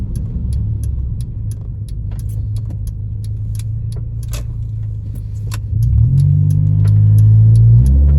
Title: Honda Civic EJ9 A/T Full Pov Driving with misfires on all 4 cylinders (71 72 73 74) hows feels like